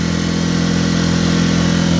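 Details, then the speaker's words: Mercury 4 hp outboard after no-start revival, boat underway at full throttle, not quite planing: steady constant-pitch drone, low-revving for wide open; owner suspects outboard mounted out too far, cause unconfirmed. "I don't hear the RPMs that I feel like I'm supposed to, but I've never owned this type of outboard."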